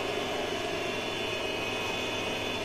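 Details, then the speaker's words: Smart toilet pressed on its sensor: steady hissing buzz with faint whine, like a failing fan; the deodorizing fan is at fault, fixed by unplugging and removing two rear screws to open the cover. "如果我们在使用此系列产品的时候，手压着这个感应，然后机器就会发出滋滋的响声。这个响声一般像一些风扇坏的声音。"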